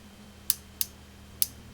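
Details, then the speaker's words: Marshall JTM100 Super PA amp on the bench, variac brought up to about 100–130 volts: three sharp dry ticks at uneven intervals over a faint hum from the board; intermittent click, possibly arcing, source not yet found. "as i bring the variac up to about 100 volts i can hear this little sound coming from the board a little click like a little arcing sound or something"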